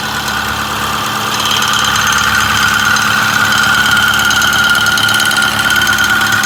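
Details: Ford 6.4 Powerstroke diesel at idle and 1200 rpm; busy metallic rattle over the diesel clatter, fairly steady around three a second; source not pinned down.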